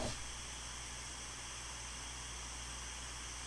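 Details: Yaesu FT5DR dual-band handheld after GPS log (and GPS) switched off: only steady even open-squelch hiss, rhythmic clicking gone, receive audio clean; clicking, also heard on speaker mic, is suspected to be tied to GPS logging/recording.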